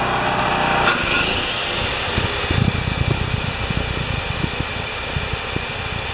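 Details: Champion 3000-watt generator that reportedly wouldn't start, on a test pull with the choke partly opened. The small single-cylinder engine catches and settles into a fairly steady run with some uneven popping. Running normally.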